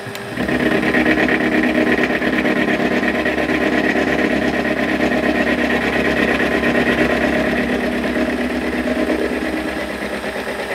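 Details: Cutting a float lock vise part on a lathe with the compound slide, no milling machine: a loud, steady rattling buzz with a fast chatter pulse of about three per second through the cut; likely setup chatter, not confirmed.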